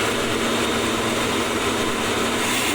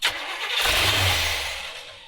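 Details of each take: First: 1970s Coachman Leprechaun motorhome engine, started after gas was poured into the carburetor bowls, oil pressure about 30 psi: steady, even drone with no misses or knocks, running normally. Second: 1970s Coachman Leprechaun motorhome V8 that ran out of gas, running on gas poured into the carb bowls; it fires, runs about a second, then fades and dies. Fuel starvation: fuel not yet drawn up to the fuel pump.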